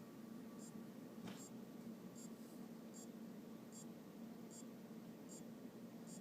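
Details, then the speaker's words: Aopen LCD monitor that won't power on, power supply reinstalled: faint sharp clock-like ticks about every 0.75 s over hiss; capacitors replaced, diodes, rectifier and transistor checked, source still unknown. "me encuentro con que hay un ruido pare parece como el de un Ah reloj y no estoy 100% seguro de dónde viene el sonido"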